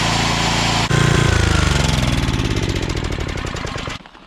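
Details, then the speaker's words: Coleman Powermate 5000-watt generator after cleaning, fresh fuel, new spark plug, oil change and throttle adjustment: single-cylinder thump at an even pace, no surging, then it cuts off; voltage now 120, running properly at full power. "i put through that throttle up and it got us to 120 so that's what it should be and the chop off works now at seemingly full power"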